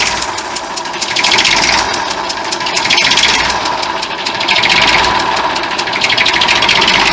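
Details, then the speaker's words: 1959 Fordson Dexta diesel tractor at idle with sharp rapid puffing ticks in time with the engine, from an exhaust manifold leak at the injector area; the water pump can also be heard running at the front. "we've got a leak here from the injector in the corporations on the exhaust manifold that's where that sounds been coming from"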